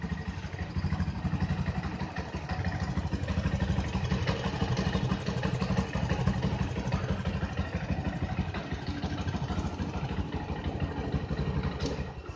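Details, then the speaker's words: Yamaha Jupiter MX 135 SOHC single after 4 years of use, idling rough; uneven loping beat of about three pulses a second with some clatter; owner unsure of the cause, perhaps the SOHC design. "Suaranya pada saat langsamnya itu kasar ya."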